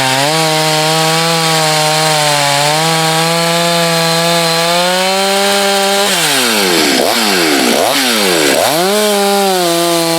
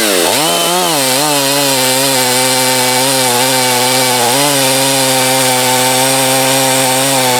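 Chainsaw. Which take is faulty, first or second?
second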